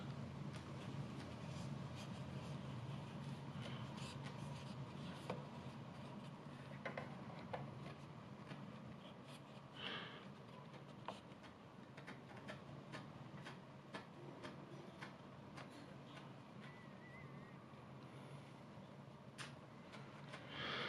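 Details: Denon PMA-925R amplifier volume knob turning: irregular scratchy crackles and pops over a low hum from a dirty volume potentiometer, which is cleaned to fix it.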